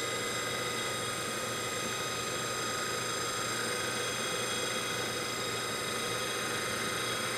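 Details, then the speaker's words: DC motor from a 1974 Karmann Ghia EV conversion, spun on the workbench from an old weak 12 V battery sagging to about 9 V, contactor clicking: steady high whine, no rubbing, grinding or surging; runs nice and smooth. "I heard the contactor click there so everything sounds real good nice and smooth"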